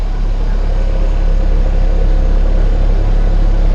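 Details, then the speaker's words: Honda CRX with B20 VTEC swap and Jackson Racing supercharger, pump-gas ignition timing on E85, timing set manually: steady, even low idle with smooth rumble, no misses or knocks; holding a good idle, running smooth. "chillin cars holding a good idle it's running it's running pretty smooth"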